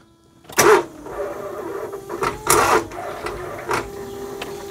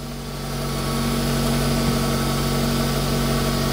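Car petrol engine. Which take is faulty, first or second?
first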